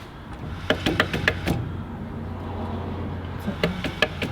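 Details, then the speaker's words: 1952 Chevy truck differential with locker, about 3,400 miles, noise began after off-road trip, turned by hand: gritty, sandy rumbling with scattered sharp clicks; loose carrier bearings from stripped adjuster threads. "I mean, you hear it. Like it's just got sand in the That just sounds like sand up in like the ceiling."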